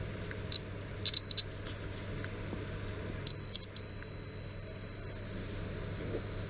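Clear high-pitched meter beeps, two short chirps then a long steady tone; the relay contacts are closing properly.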